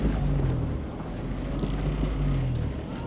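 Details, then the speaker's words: Abandoned Geo Metro LSi convertible, three-cylinder, after driving it home: engine note rises and falls unevenly at high idle, surging to close to 2,000 RPM instead of settling; cause unknown, otherwise running fine with good gauges. "oh it's it's surging RPM surge there it goes RPM's way too high it's sitting close to 2,000 RPM now"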